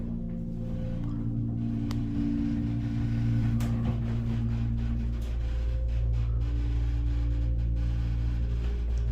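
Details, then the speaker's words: Epco CircleLine hydraulic elevator (originally Burlington) serving three floors: steady low droning hum with layered tones while the car travels, an unusual running noise of unknown cause that has reportedly worsened over time. "Why does it sound like that? Wait for it. I've never heard a hydraulic elevator make that sound ever."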